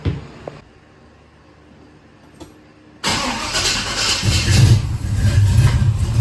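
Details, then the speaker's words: 1970 Chevelle after big block V8 swap, water found in the engine, oil changed: cranks and catches into a rough, heavy idle with an uneven low knock; engine knock, cause not confirmed, torque converter and flex plate to be checked. "Well, based on that sound, I'm kind of dead in the water here."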